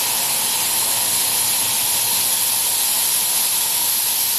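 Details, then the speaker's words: Live steam locomotive boiler testing new safety valve: steady loud hiss of steam venting hard and evenly as valve pops right at its 120 psi set pressure, within about two pounds, and shuts; lifting correctly. "the first valve I tried is now popping off right on the money 120 about two pounds boom shuts down"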